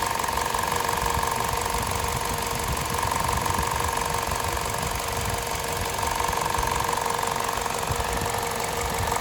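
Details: VTi 120 engine at 137,700 km, warm idle, light fast metallic tick near 200 per minute over a steady hum, heard at the left side of the rocker cover; valvetrain ticking.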